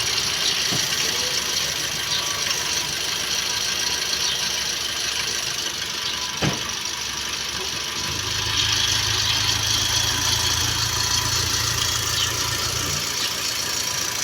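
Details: Perodua Bezza 1.3 at steady idle with a light, fast tick about three per second over the engine note, likened to chain noise, before oil and VVT sensor service; source suspected, not confirmed.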